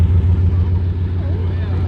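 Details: Chrysler 300C Hemi V8 running with an exhaust leak from a broken flex pipe: loud, deep, blatty rumble well beyond a normal exhaust note.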